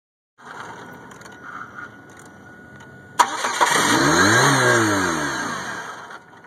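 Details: 1998 Chevy Cavalier that only starts in hot weather when the sun is out. Quiet hiss, then a sudden catch and one rising-and-falling rev that dies away; the engine is reluctant to start, cause unknown.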